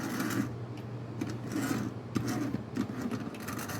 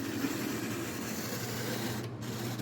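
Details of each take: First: Tyco model locomotive, first run after a push start, a little dirty: light buzzing motor whir with soft clicking, no stalling or binding; sounds pretty good, should run well once cleaned. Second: Manitoba Santa Fe F unit model train locomotive from a traded lot, first test on track: struggling to start, steady dry rasping whirr, a little noisy; needs cleaning.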